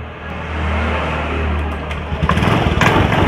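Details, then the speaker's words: Honda Beat FI scooter with total electrical failure, no electric or kick start, jump-started from another battery: starter spins briefly and engine catches at once, settling into a steady even idle with light blips; normal start. "ternyata motornya langsung hidup satu tangannya juga langsung Joss ya"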